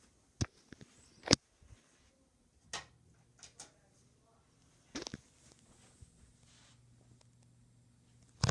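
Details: Harbor Breeze Ocracoke 42-inch ceiling fan: faint low motor hum with sharp uneven clicks every second or two, spinning slowly; failing capacitor suspected, not confirmed.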